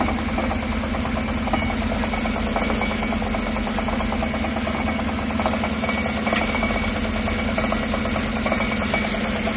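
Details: 2016 Tahoe 5.3 V8 with 140,000 miles, no check engine light, idling warm and heard underneath: a loose, tinny metallic rattle riding on the exhaust note. Part of the driver-side catalytic converter's insides has come apart.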